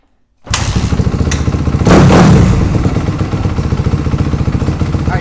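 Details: 4-stroke MX motorcycle with FCR carb, during fuel screw adjustment: engine catches quickly and settles into a low steady putter without stumbles or misses; idle mixture sounds right.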